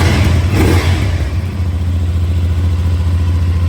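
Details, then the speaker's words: New 2024 CFMOTO NK, first start from the crate just after fueling: engine fires right up and settles into a steady, even idle with a smooth low thrum and no knocks or ticks. Normal start and idle. "That's awesome. Just put fuel in it, she fired right up."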